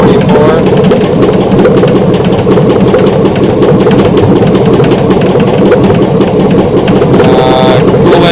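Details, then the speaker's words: 2007 Chevy Silverado 5.3L LH6 AFM/DOD aluminum-block V8 running on an engine stand: fast light ticking over a loud steady idle, tracking engine speed; owner suspects lifter tick, hopes not rod knock. "turn it off definitely got some kind of tick I would say lifter tick probably pretty sure let me know what you guys think"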